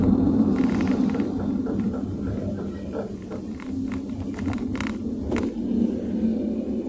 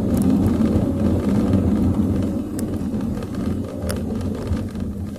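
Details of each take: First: Car slowing on smooth asphalt with newly replaced, greased front pads and a normal caliper: steady tok-tok knock about four per second under road rumble from the rear; rear drum brake shoes dragging on the drum, fixed by cleaning and adjustment. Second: Car test-driven with sudden full braking over humps and rough road after cleaning rear drum brake shoes and drums and checking adjustment, aircon then on; steady road and tyre rumble, no knocking or clunking; rear brakes normal.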